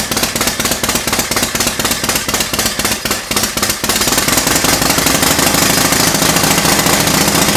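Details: 1991 Harley-Davidson Softail Springer Evo bobber, cold start on a temporary fuel tank: loud, uneven loping beat at first, then settling into a faster, steadier run; healthy cold start.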